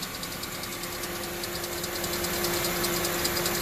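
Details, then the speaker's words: Honda CR-V petrol idle after repairing the exhaust leak after the cat at the cat-to-muffler pipe flange (three rotted/broken bolts) with a split flange and smaller 5/16 bolts: even, steady idle, light injector ticking, no puffing; leak gone. "That's it. Exhaust leak is gone."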